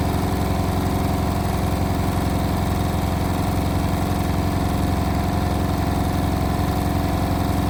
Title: Indesit WIL143 | Strange noise on final spin 1400rpm